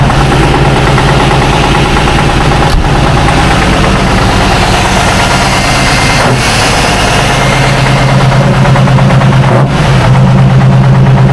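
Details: 1976 Tatra 813 air-cooled V12 truck, restored after sitting 20 years with new hoses, seals, oils and filters: deep steady low rumble settling into an even idle, no knocks or misses; normal idle.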